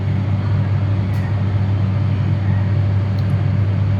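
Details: Diesel generator (DG) started manually with the green button on the synchronise panel during weekly manual testing, normally on auto; deep, steady constant-speed drone with no knocks or rattles, running smoothly.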